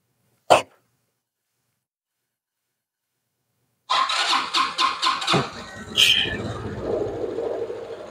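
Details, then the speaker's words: Jonway Master 250 scooter, owned since 2006, under restoration, with coolant system still fine, cold start (not run yet that day): a few quick cranks, then it catches promptly and settles into an even idle; easy, healthy start. "The coolant system is still 100%. It starts easily. It hasn't been started today yet, so let's see quickly."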